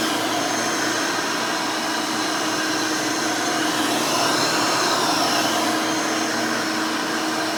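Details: Rebuilt Hoover Elite 600 upright vacuum, built from parts of several Elites, running a new 7 amp motor with a 20-blade fan in place of the original 6 amp: an even, steady motor roar with a smooth airy whine and no rattles or wavering. Runs very smooth and fairly quiet.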